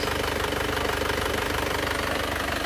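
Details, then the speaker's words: Isuzu Panther diesel with custom liners, idling with an even, smooth clatter and no misfire after the injector nozzles were set and serviced; it ran rough and limping before, and the fan belt is still unreplaced. "Ini lihat suaranya halus kan kemarin masih pincang pincang terus ini sudah kita Setelkan noselnya kita serviskan noselnya sekarang suaranya sudah menjadi bening dan halus seperti ini"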